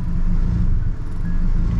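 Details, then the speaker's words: Nissan 240SX KA24DE engine, warming up before compression test: low, lumpy idle with uneven beat and brief sag as if about to stall; rough idle, cause not yet found. "but like it sounds healthy but it's really like rough like you see the cow keeps doing that"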